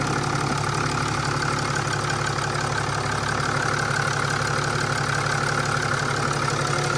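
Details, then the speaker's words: Mercedes E320 CDI turbo diesel idling, running with no leaks: even diesel clatter at a steady idle with no misses or knocks; engine idling normally. "she lives boys she lives there she is she is running with no leaks that's awesome that's a job well done"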